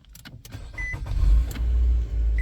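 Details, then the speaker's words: 2014 Nissan Altima push-button start after battery replacement left the key fob undetected ("Key ID incorrect"), started by holding the fob against the start button's RFID reader and pressing brake and start: a couple of chimes, then a normal start into a steady low rumble. "Press the brake pedal and the start button."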